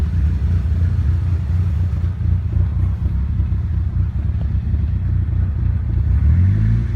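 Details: Nissan Silvia S15 rough idle after full respray with engine removed and reinstalled, ran perfectly before removal: low, lumpy idle wavering and stumbling unevenly; cause not yet found.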